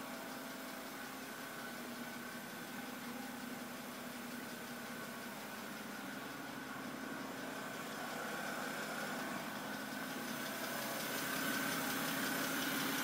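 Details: 2008 BMW 328i coupe idle: light even ticking about four per second over engine hum; lifters replaced under service bulletin but tick returned, dealer now suspects cylinder head; valvetrain source unconfirmed.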